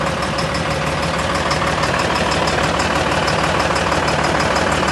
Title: How to diagnose engine Knocking noise | danilotroubleshooter #mechanic #engineknocking